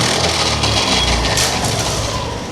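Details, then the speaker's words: Honda Activa BS6 scooter in for service: harsh gravelly "karakara" grinding as revs drop after revving and releasing the throttle; mechanic suspects bad gearbox bearings or kick-start gears catching; gearbox grinding. "మళ్ళీ చూడండి race చేసి వదిలేసిన తర్వాత కరకర కరకర అని sound వచ్చేస్తుంది మళ్ళీ ఒక్కసారి ఇంకొకసారి సో ఇదైతే గేర్ బాక్స్ లో బేరింగ్లు అయినా ఖరాబ్ అయి ఉండాలి"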